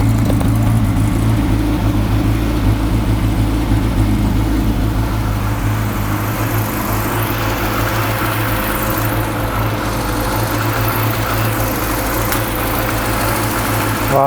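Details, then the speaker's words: Classic Mini Clubman campervan, first running after pressurising the fuel tank by blowing into it so the pump could draw fuel: steady idle, slightly lumpy and uneven, no taps, knocks or bangs; mechanically sound. "it's running a bit lumpy but it sounds sweet mechanically there's no taps or bangs or anything no it sounds nice"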